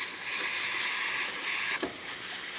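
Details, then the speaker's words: Breville espresso machine after pressure problem fixed by OPV adjustment: steady even steam hiss with no sputter or pressure drop, good hot water flow and temperature; normal steam and hot water flow. "nice pressure coming out of this one really good steam and excellent temperature as well hot water of this machine was really good nice steady stream coming out of the machine working perfectly fine"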